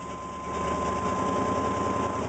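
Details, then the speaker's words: 1988 Chevy R30 454 TBI V8 dually, recently tuned up after sitting 4 years, at idle: loud raspy puffing hiss over rumble from exhaust leak, broken hanger dropped whole left-side exhaust. "But yes, you're gonna hear a hell of an exhaust leak because, well, it's not in very good condition."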